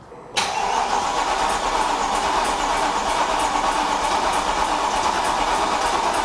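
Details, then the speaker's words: Mercedes W204 C63 AMG M156 V8 after cylinder head/camshaft-wear rebuild with machined heads, fresh oil, filter and coolant, test crank before wiring loom fully plugged in: fast even starter whir, no knocks or binding; cranking sounds healthy. "it sounds healthy so that's a good start happy with that"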